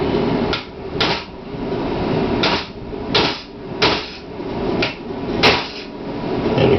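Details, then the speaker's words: C6 transmission rebuild for a 950 hp 428 Cobra Jet sled-pull truck: new pump bushing pressed in with sharp hammer blows every half second to a second, ringing harder and more solid at the end once the bushing is fully seated. "just sound difference there when you're fully seated you'll hear a sound oh you just got to listen to it I'm deaf and I can hear it I know you guys can"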